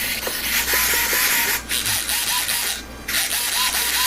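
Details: Rebuilt UMX 300 micro RC plane, aileron/rudder servos (unlike the glue-fouled elevator servo): short clean whirring buzzes sweeping back and forth, no grinding or sticking; they move freely and sound fine.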